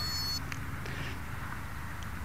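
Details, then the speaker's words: Quadcopter after a crash that broke all four props, bent the controller board and disconnected the battery: short high beep then faint chirps at power-up, speed controllers connected normally. "sounds like the escapes are hooked see if we can arm it"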